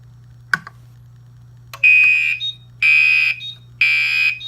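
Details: Gentex Commander 2 mechanical horn on a 24 V model, set to code 3 with constant output from the panel: loud, harsh blasts about once a second, evenly spaced, over a low mains hum. The horn is sounding normally in alarm.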